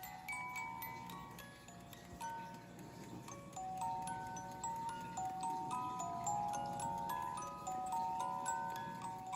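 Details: Vintage Goldbuhl ballerina alarm clock with a warped case: bright tinkling tune plays steadily at an even tempo with clear notes and no drag or stumble; the music movement runs fine, though the alarm cannot be set properly.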